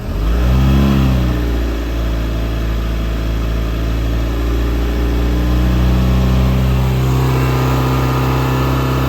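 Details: Volvo Penta 3.0 GLP-J GM-block marine engine in boat, recorded from middle of boat, held at 2000 rpm; steady even drone with smooth firing, no knocks or misses; healthy running.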